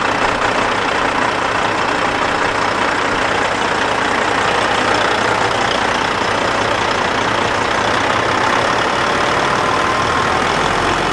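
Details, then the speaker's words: Kenworth W900 with Cat 3406E diesel, first start after new turbo install, new oil temperature sending unit and filter: steady, even idle with no knocks or misses, running nice and strong. "you're just actually circling the shop here now it sounds like it's running nice and strong"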